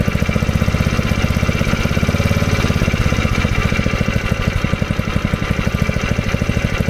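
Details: 1970s Honda G35 3.5 hp general purpose single-cylinder engine: runs with a fast, even, steady beat, no misses or knocks; running properly.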